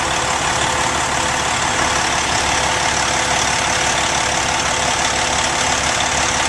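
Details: 2005 Freightliner Columbia tandem axle day cab, Detroit Series 60 455 hp diesel, Fuller 10-speed manual: big diesel ticks over at a steady, even idle with busy clatter and no knock; normal idle.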